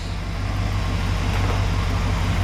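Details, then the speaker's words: 1968 Chrysler Newport V8 with electric fuel pump and gauge, fuel pressure 6.5 psi before start: steady, even idle with a smooth firing beat and no misses or knocks; purring normally. "we're sitting at 6 and 1/2 lbs before the engine started while the engine run I'm just sitting here just kind of purring if you will"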